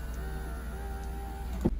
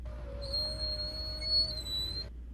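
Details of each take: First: Nissan Titan/Armada power window after greasing the regulator tracks to cure squeaking: faint even motor hum with no squeak, ending in a soft thunk at the stop; window runs smoothly. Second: Nissan Titan/Armada power window squeaking as it moves up or down: a steady high-pitched squeal over the low motor hum from dry regulator tracks; silicone spray didn't help, so the fix is greasing the tracks.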